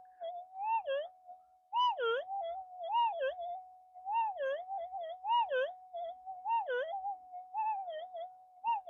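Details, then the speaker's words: AlgoForce E1500 metal detector with an 11-inch coil calibrated as 12, gain at 28 giving a mid-pitched hum breaking into wobbly chirps; threshold chatter from excessive gain, around 25 suggested as acceptable. "I myself wouldn't operate with that much chirp if you can hear it it's too much 25 sounds good it's a little bit there"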